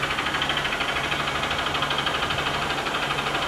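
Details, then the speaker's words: Honda Bros 150 2014 motorcycle engine at idle: sharp, regular knock about three times a second over the engine, a deep bottom-end knock; connecting rod suspected, engine to be opened and rod, bearing and crankshaft replaced. "E aí você tá vendo aí, esse barulho aí, eu vou abrir ele todinho aí, eu vou trocar completamente aí, o que tem de ruim aí, talvez aí seja a biela mesmo."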